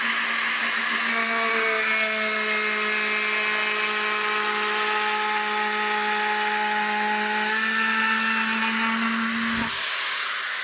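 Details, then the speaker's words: Cordless Bosch router with larger battery making a heavy cut in hardwood lipping: high whine sags in pitch then spins down; motor bogging and overheating, lacking power. "I could hear the BOS bogging down a little bit even with the larger battery on it it just wasn't coping"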